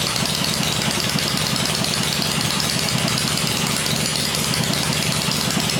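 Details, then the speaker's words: First run of a freshly rebuilt 96-inch engine with Edelbrock heads on an engine stand, with 40 psi oil pressure, gives a steady, even V-twin beat at a gentle fast idle with much hiss and no knocks. Normal running. "in the first run it seems really quiet we're running 40 pounds oil pressure in it which is good"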